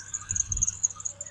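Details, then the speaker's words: Chevy Tracker at idle, before repair: steady loud high chirping squeal constantly, worsening over time; dry belt tensioner pulley bearing, confirmed quiet after the tensioner pulley was replaced. "Let me, though, show you what kind of sound this thing is making. It just drives me nuts. So there you go. That's the sound of her. Oh, it's just very loud and all the time."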